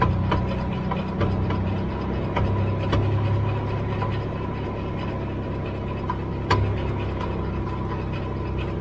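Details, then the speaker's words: Dodge at idle: over a steady idle, sharp separate clunks every second or two at uneven spacing; owner locates clunking in the rear end. "clunking located in rear end, rear end"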